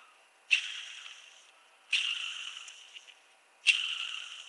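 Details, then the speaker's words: Honda B16A2 timing belt tensioner from 1999 Civic Si, removed and hand-spun: dry, gritty whir coasting on freely; a new greased one is quiet and won't spin long; worn timing belt tensioner bearing, replace it. "you can hear that noise then you should go ahead and replace it a new one's gonna be quiet and also isn't gonna spin those long"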